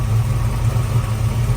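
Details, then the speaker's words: 1969 Chevrolet Camaro RS/SS convertible, replacement 350 V8, aftermarket carburetor and exhaust, idle after cold start: deep steady burble, no ticking or knocking; engine quiet and healthy. "Engine is quiet."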